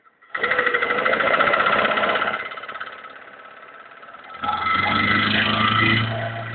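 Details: VAZ 2103 engine running: light, fairly regular knocking about three times a second, carrying through rev changes; owner asks what the knock is or whether it's normal, source unknown.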